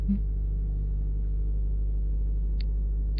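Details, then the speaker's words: Straight-six in a B200 truck restoration project, just after the exhaust system was fitted: starts instantly and settles into a low, muffled, even idle with no rattle or tick, much quieter than before; normal idle. "It started up though, right? Right away. No hesitation, no qualms, no thoughts of betraying us."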